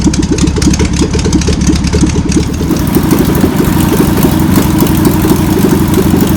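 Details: VW pressed-bumper bus engine sat over 50 years, run after freeing with spray and fuel added; fuel pump suspected bad. Busy, uneven chuffing idle at steady pace, rough but running on its own without knocks; old untuned engine runs.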